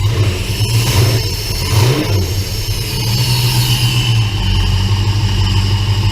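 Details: 1966 Plymouth Belvedere 440 Mopar V8 after FiTech EFI install: clean throttle blips rising and falling smoothly from a steady idle, no rattles or misses; healthy engine.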